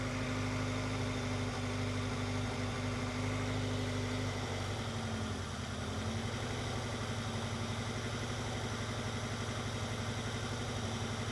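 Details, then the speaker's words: Honda CR-V at idle after fouled spark plugs replaced and valve cover gasket redone, check engine light on: rough, uneven loping idle with irregular low thumps; persistent misfire, plug wire suspected, cause not found. "You can still hear that mist. Still doing it."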